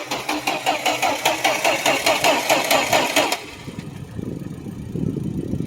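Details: 1972 Plymouth Valiant A-body cold start; steady starter cranking about two to three pulls a second, catches after about three seconds, oil pressure comes up and it settles into an even idle.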